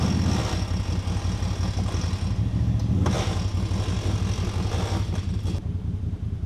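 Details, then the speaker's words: ATV winch with a shop-replaced cable that wouldn't pay out properly, paying out: a rough, heavy low growl pulsing about three times a second. Abnormal winch noise; the owner suspects something busted, cause unknown. "yeah that was making some weird noises or wasn't it I got it all the way out"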